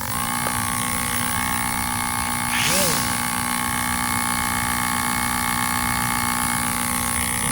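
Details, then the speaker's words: MO-FLY P-51D Mustang micro RC plane, after about 5 minutes of flying, throttle fully down: constant thin electric hum and whine; aileron servo hot and believed burned out, suspected elevator issue too. "Yeah, it's the it's this servo here. I think it's burned out. It's hot."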